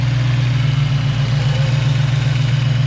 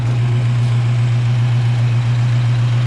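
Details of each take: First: Rebuilt Ford 302 with GT40P heads, Cobra camshaft, Trick Flow valve springs, GT40 intake, factory speed density ECU, idle about 1000 rpm, running slightly rich; smooth V8 idle with light quick ticking about 220 a minute from the valvetrain: rocker arm noise. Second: Freshly rebuilt Ford 302 with stock bottom end, GT40P heads, Cobra cam, factory speed-density ECU, rings still wearing in, a sticking lifter now pumped up: deep, steady, even V8 burble, no tapping. Normal idle.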